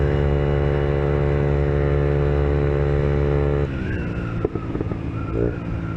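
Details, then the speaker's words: Peugeot Kisbee four-stroke 50cc scooter, warmed up, with newly fitted aftermarket GY6-style performance exhaust: steady single-cylinder drone, then sharp pops on closing throttle; backfire indicates carburetor needs adjusting. "oh yeah the I guess you should adjust the carburetor because as you can hear if your exhaust backfires it means it's not properly tuned but small backfire doesn't hurt your bike"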